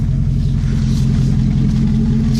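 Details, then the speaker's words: 2001 Jeep Grand Cherokee 4.7 V8 cold start: heavy, throbbing low idle rumble with a buzzy rattle; loosely hanging aftermarket exhaust pushed up into place vibrates loudly against the body. "Probably wondering why the exhaust's been hanging a lot. Well, I just push it up in place and it makes a real loud vibration."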